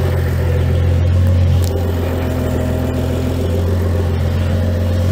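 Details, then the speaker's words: 2011 BMW E90 335xi, N55 engine refreshed, upgraded Turbo Parts Canada turbo and 8HP45 transmission, on first start after the build: smooth, even low idle, no tapping or knock. Water and oil temps rising, AFR solid. "it's good to actually hear that there's no uh knock knock jokes"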